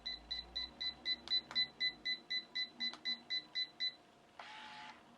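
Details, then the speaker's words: DIVA Pro Styling autocurler jammed on caught hair, likely fed on the wrong side of the barrel, which pulled it toward the head: a rapid run of sixteen even high beeps, about four a second, then a short hiss, signalling reset needed. "That was really weird. It, like, pulled it into my head. I didn't like that. I think I put the hair on the wrong side."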